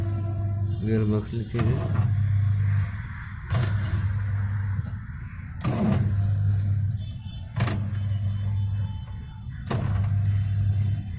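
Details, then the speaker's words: Whirlpool White Magic 1-2-3 650H 6.5 kg washing machine during wash cycle: low motor hum broken by a sharp "kat-kat" clunk about every two seconds as the agitator reverses; faulty gearbox causing knocking. "और इसके में कैसा आवाज आ रहा है, cut cut cut cut. ये आवाज इसलिए आ रहा है"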